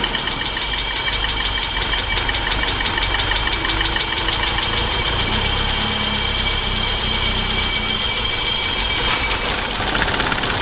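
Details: BMW E30 318i M40 four-cylinder, previously running on three cylinders, after repair: smooth, even idle with steady hiss and valve chatter on top, no misfire stumble; running cleanly on all cylinders, normal idle.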